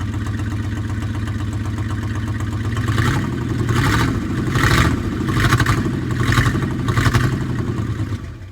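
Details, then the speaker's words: 1963 Ford unibody truck sitting since 2005, first revival run: low rumbling idle that swells and hunts slightly about once a second but keeps running on its own; normal idle. "well there is go she'll sit here in idle"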